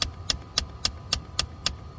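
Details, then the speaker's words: Dodge HVAC blend door actuator, uncalibrated climate controls (often after battery disconnect), vehicle in accessory mode: sharp, evenly spaced clicking about four per second from the actuator hunting for position. "listen that's what it's doing it's clicking"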